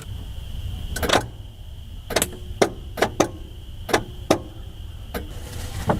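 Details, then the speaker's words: Engine with oil changed, trying to get it running again: sharp single solenoid clicks at uneven intervals with no cranking. The engine is locked up and would not turn with a socket either. "the likelihood of this turning over is not great but let try it so it will you hear the solenoid kick but it won't turn over cuz our engine is likely locked"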